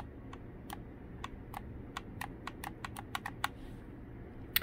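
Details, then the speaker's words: Xbox Elite Series 2 controller right trigger, a few months old, sticking: sharp plastic clicks about three a second each time the trigger bottoms out, unlike the silent left trigger; oiling and air did not help. "and here I'll show you the left side to show you the difference no noise so it's also making that noise when it hits all the way down"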